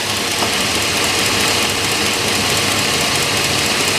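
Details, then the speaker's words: 2001 GMC Yukon 4WD 5.3L V8 at idle with a misfire on cylinder 6: sharp, hissy ticking near the driver-side cylinder head keeping pace with engine speed, from a loose spark plug whose boot shakes; this risks damaging the head threads. "so at the minimum we have a loose spark plug and i hope it hasn't been that way too long because it'll eventually damage the threads on the cylinder head"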